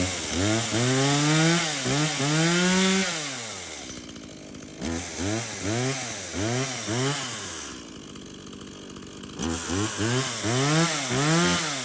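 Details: Stihl MS170 chainsaw, reported as a no-start, bought 13 months earlier and apparently unused; run on its original fuel with a full bar oil tank, outdoors. It revs cleanly to a high scream and drops back to a steady idle: it starts, runs and oils normally.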